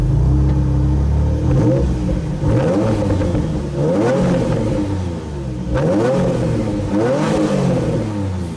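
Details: Flood-damaged Nissan 350Z that sat over a year, on old fuel, after a loose mass air meter plug was reconnected: clean, even revs rising and falling in smooth sweeps with no knocks, misses or ticks; engine healthy under throttle.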